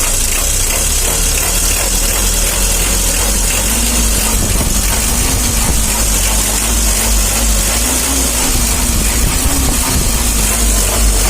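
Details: Mitsubishi L300 diesel with hard morning starting and weak pulling: even idle with a low drone and some hiss on top, no top-end tapping; sounds healthy, normal idle.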